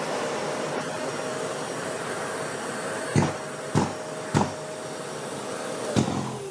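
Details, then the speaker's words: Bosch GAS 35 M AFC wet/dry vacuum, class M filtration: steady hum with sharp air-jet thumps in bursts about every half second; normal automatic filter cleaning, an air jet blasting dust off the filter every 15 seconds. "Ça envoie en fait un petit jet d'air qui est propulsé sur le filtre, ça va décolmater les poussières et ça va se passer toutes les 15 secondes. Donc quand tu le mets en route, c'est ce bruit-là, là."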